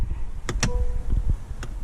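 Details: Electric parking brake caliper on a 2018-2022 Honda Accord or Civic, car on accessory with rear lifted for a brake job: short thin electric whir between clicks as the parking brake motor cycles the caliper.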